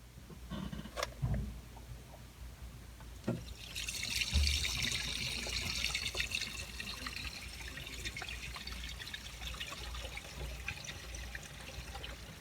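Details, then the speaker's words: Cast iron drain pipe after patching a large hole with Pro Force, water run through: steady trickle and rush through the pipe with no dripping or splashing; drain flowing normally, no leaks. "Good deal, no leaks at all."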